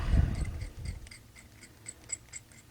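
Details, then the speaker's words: Traxxas T-Maxx 2.5 shock filled with cooking oil instead of shock oil, which stripped the chrome plating off the steel shaft: faint dry scratchy ticks each stroke as the damaged shaft rasps through its seal. "this is not a smooth shaft I wish you guys could feel what I'm feeling right here this this is a whole new level of damaged"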